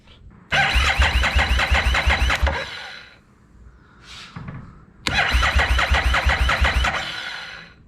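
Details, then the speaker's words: Harley-Davidson Street 750 (XG750) fuel-injected, liquid-cooled engine, possibly damaged in shipping: two bursts of steady starter cranking that never catches; no spark, wiring not yet understood. "No spark."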